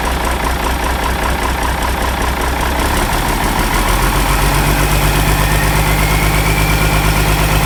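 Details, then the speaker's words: Ford 5000 tractor with a swapped-in Ford Brazilian 7.8 six-cylinder turbo diesel, early run after first fire-up, long-sat engine burning off water vapor: loud, steady, even diesel chug with a smooth low rumble, no knocks or misses; healthy idle. "Wow, that thing ran. It seemed to run decent."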